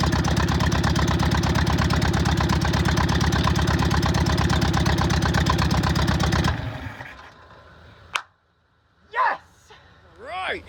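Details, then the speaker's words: VW Bug air-cooled flat-four after new plug wires, ignition coil and distributor, fed fuel from a bottle: even, steady putter for several seconds, firing regular and clean, then shuts down as bottle runs dry; normal idle. "that is a good thing right there it is running thank you jesus all right i'm super excited about that"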